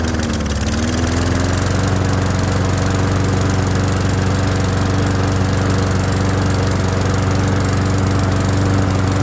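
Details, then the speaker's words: Murray lawnmower that wouldn't run and made a terrible sound, after repair: steady, even idle sitting just slightly low, with the carburetor running okay. "well as you can hear the idle is just a tiny bit low uh but the carburetor seems to be running okay honestly"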